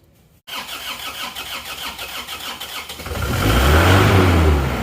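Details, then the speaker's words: Isuzu Panther diesel, cold morning start, before rebuild, engine seized after running out of radiator coolant, liners and pistons damaged: cranks about two and a half seconds with even starter beats before catching and rumbling, smoky; hard cold start. "Oke mesinnya berasap seperti itu agak sulit ya tadi jadi nggak langsung cengreng"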